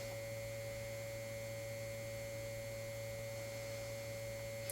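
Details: 1952 GM Guide Autronic-Eye vacuum-tube headlight dimmer, vibrator running on about 3 V input: steady, even buzzing hum with fixed pitch and no dropouts; vibrator switching cleanly, normal vibrator buzz.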